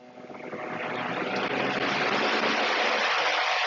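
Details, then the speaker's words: Milwaukee M18 Top Off 2846-20 power supply inverter powering a fan on high from an M18 battery; airflow swells for a second, then a steady, even rush with no ticking or rattle. Normal fan running on high. "that's on high. with the M18 12 amp hour battery with a fan, you can go to 151 minutes with it."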